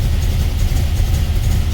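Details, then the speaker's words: 1978 Dodge Aspen six-cylinder, sat eight years, treated with Marvel Mystery Oil: a loud, low, lumpy idle as oil pressure builds, still skipping on some cylinders, a misfire. After later repairs it ran on all six. "Oh, all right, we're building oil pressure now, but it's still skipping."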